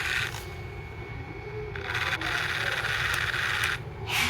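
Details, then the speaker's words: Sony MZ-E900 MiniDisc player (late 2001): gritty, sand-like scraping whir in uneven bursts as the sled moves to read while the disc spins without loading; owner suspects the sled motor; opened, cleaned and lubed. "I think it's the sled motor since I'm hearing the sound as the sled moves to try and read the mini disc."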